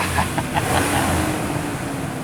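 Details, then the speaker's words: 2005 Ford Ranger Edge with a swapped engine, first start after sitting four years in a garage, with a new battery: settles into a smooth, steady idle with no knocks or misses and no dashboard warning lights. "Uh, this is amazing. It's running. I love it."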